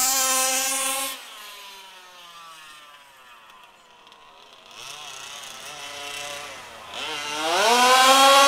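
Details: HPI Baja SS RC car with Zenoah G320 engine and V2 Dominator exhaust, rebuilt, on 91-octane ethanol-free fuel with Bel-Ray oil at 32:1; high-speed needle test: buzzy wail drops to a low burble then climbs hard, thin on top, slightly lean (later corrected).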